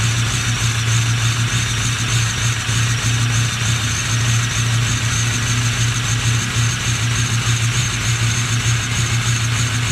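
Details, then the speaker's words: Ford 6.0 Powerstroke diesel on a cold start, smoking quite a bit, ABS light on but no check-engine light: deep idle with an uneven, stumbling beat and no steady rhythm; it's missing at idle, cause suspected, not confirmed. "definitely sound a little rough just now starting to pick up hold starts are great definitely smoke so quite a bit no check engine light on we do have an ABS light i definitely tell it's missing"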